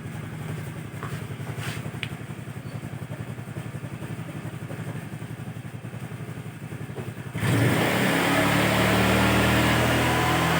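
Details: Carbureted Honda Vario scooter with weak battery, run about 2 minutes to charge the battery; even idle thump near 220 per minute, then a clean rev rise around seven seconds, running normally.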